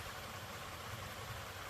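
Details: 2009 Lexus RX350 3.5L V6 2GR-FE after water pump replacement (the old pump was noisy and leaking), warming up until the thermostat opens while coolant is bled: even, steady idle with a soft rumble, no whine, knock or bearing growl.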